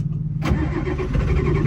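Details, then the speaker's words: 1987 Ford F-350 diesel, sat 8 months, battery charged about an hour (about 9 volts), no ether yet. Low, heavy cranking churn with hints of firing that never catch: hard starting after sitting. "Oh, something's happening. That was close. No ether."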